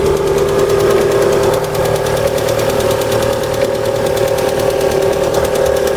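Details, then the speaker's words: Cold engine at idle: a light, fast tick of about three per second that seems to come from the top end, not a piston knock. It grows with rpm and is expected to last until about 70°C. Hydraulic lifters vs pistons suspected, not confirmed. "Короче, пока до 70 не нагреется, будет цокать вот так стучать."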